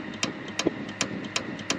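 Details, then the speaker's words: Dometic RM7732 RV fridge with an aftermarket Micro P-711 board, lit in LP gas mode: sharp clicks about every third of a second as the board repeatedly cuts and restores power to the igniter pin. The other parts tested good, pointing to faulty board logic; the board was replaced. "now you're going to hear it start clicking and watch the voltage it's continuously shutting off power to that pin and turning it back on again over and over"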